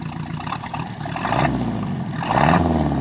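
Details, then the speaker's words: 1976 MerCruiser 120 hp inboard with an acceleration dead spot, just after the carburetor was rebuilt, fogged and reinstalled, mic at the rear: it starts readily, burbles low and steady, and picks up cleanly on gentle revs. Normal idle. "that popped right off beautifully should smoke a little bit smell a little awful because I fogged the carburator"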